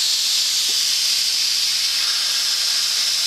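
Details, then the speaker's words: Boiler safety valve on steam, still blowing at about 60 lb before reseating, still being adjusted: continuous loud hiss with no sign of closing as pressure falls; excessively long blowdown. "make you goes is getting ready to seat getting ready to seat down let's see we're probably oh down to 60 lb right now"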